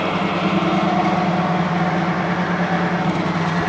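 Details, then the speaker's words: Engine-oil friction test rig with brand A oil: steel wheel pressed against bearing under load near 20 pound, loud steady grinding rasp with droning tone, high friction as oil film isn't holding up; oil holds roughly 40–50 pound. "Dengar tak bunyi geseran tu kuat? Maksudnya tahap geseran tu tinggi."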